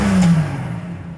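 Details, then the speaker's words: 1993 Jeep Cherokee 4.0 high output, revived after sitting 15 years: a throttle blip that climbs cleanly and winds down smoothly with no misses or knocks; it doesn't like to idle but revs healthy. "look at that she just don't like the idle but she runs good"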